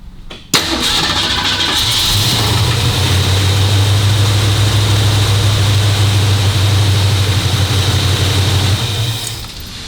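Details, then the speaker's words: 1965 Cobra Fastback fitted with a 302 engine replacing the original 289, automatic choke on the highest fast-idle cam step: catches and climbs to a steady roar near 2100 rpm; fast idle set too high, backed off to about 1500 rpm. "Whereas when we first started that, it went rev. Yeah. You don't want it to rev that high. You want about 1500 probably."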